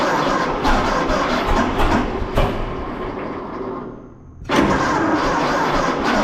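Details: 1926 Seagrave ladder truck, 1013 cubic inch six-cylinder, first start in 10-15 years, fuel fed to carburetor by squeeze ball, valve suspected stuck open: catches and sputters unevenly, nearly dying before picking up; flooding on too much fuel.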